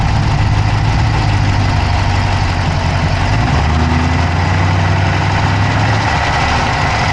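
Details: Dodge Charger Hemi V8 at steady idle, recorded inside the engine bay on the passenger side with an Insta360 Go3: fast, even ticking keeps pace with engine speed; a top-end tick at idle, cause not yet pinned down.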